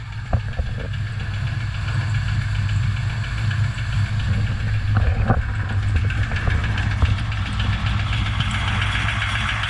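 Steady low engine drone with a few sharp irregular knocks standing out above it; a knocking engine, cause not yet pinned down.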